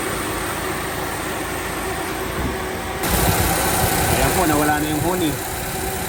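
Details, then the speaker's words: Suzuki Swift idling during AC refrigerant/oil refill after vacuuming, auxiliary fan replaced: steady even drone with no high whine; compressor, noisy when low on oil, now quieter. "Ayan medyo tumahimik na po yung compressor. Sana tuluyan ng mawala."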